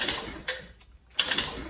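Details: Spark check on an old 5 hp Toro snowblower engine, with the engine removed: sharp dry snaps at irregular half-second gaps in a quiet room; the plug is sparking and should fire fine.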